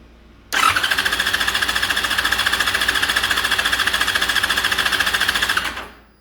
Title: fz6 crank but no start, spark test